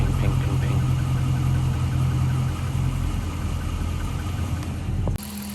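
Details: 2014 Jeep Grand Cherokee 5.7 Hemi, warm idle just after highway driving: a deep steady rumble with a faint, loosely regular knock that is growing more prominent; the owner suspects lifters, piston slap or knock, and the cause is unclear.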